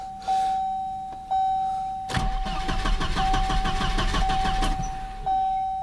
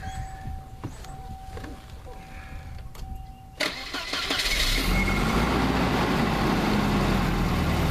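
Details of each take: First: Volvo 740 with a suspected failing main fuel pump: starter cranks evenly for about 2.5 seconds and the engine turns over but never catches; no fuel pressure, pressure bleeds off, possibly a bad pump check valve. Pump to be replaced. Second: 1988 Volvo 760 wagon just after main fuel pump replacement (pump only runs once the engine rotates). Several seconds of steady cranking, then it catches and settles to an even idle; the new pump makes a weird sound.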